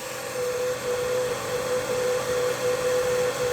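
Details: Diode laser engraver cooling fan, tested without the fan grill during noise comparisons of grill designs. Steady airy whoosh, one even mid-pitched hum, no rattle or ticking; fan spinning smoothly.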